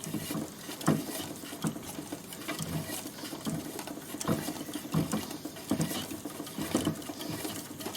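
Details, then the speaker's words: Old record player with BSR Fidelity HF 45 deck, motor running after lubrication: light irregular pattering and rustling with soft thumps about every second, noisy; bearings suspected very dry underneath. "Bit noisy. Sounds like the bearings and are very dry underneath."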